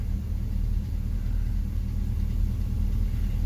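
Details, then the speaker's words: 2004 Chevrolet Silverado 2500 HD 6.0L V8, automatic, idling with a slightly uneven stumbling beat; P0300 random misfire code, scan history shows cylinder six with about 34,000 misfires and cylinder five about 2,000. "we look here cylinder six has got a huge has three thirty four thousand misfires cylinder five show in two thousand"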